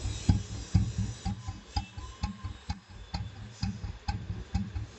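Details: Old Royal Enfield Bullet after restoration with engine work and a heavy crank fitted: slow, steady low thump about two beats a second, no extra ticking; single-cylinder idles evenly and healthy.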